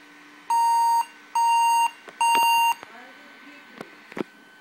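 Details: Averatec 3200 series laptop that will not boot, with black screen and orange-red and blue lights on: three long, evenly spaced beeps of about half a second each, then silence. Boot failure, cause unknown.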